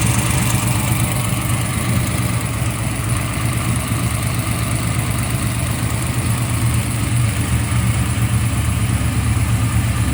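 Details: Freshly assembled 383 LT1 small-block Chevy V8, 1995, Eagle forged crank, Terminator X, first run on engine run stand: loud steady idle with even lope, no knocks or misses; normal idle; water pump leaks (missing gasket).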